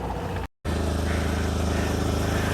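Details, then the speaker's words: Smart car at idle, sold as a project, 68,000 on the odometer: low idle with a rapid, rasping puff on every firing pulse; exhaust still blowing, leak not fixed. "So as you can hear, the exhaust is still blowing. We didn't fix that, sorry Davey."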